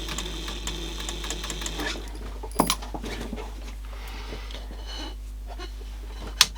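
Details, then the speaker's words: Rusty 1980s Clarion car cassette player: small motor whirs steadily with a few handling clicks but drives nothing; slide bars sticky, mech stuck, pivot probably shot. "I can't believe the motor still turns. I don't think it's turning anything though."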